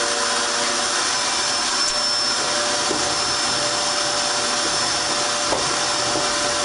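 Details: Dirt Devil Extreme Quick Vac after brushroll belt replacement (style 15 belt): constant high-pitched motor whine with airflow rush, holding pitch without bogging or slipping; new belt spinning the brush, running normally.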